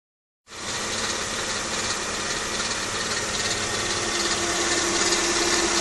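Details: Mercedes E320 W210, M112 V6, 165k miles, runs near perfect; busy metallic chatter over a steady idle, confirmed as stretched timing chain, tensioner and chain guard noise: timing chain rattle.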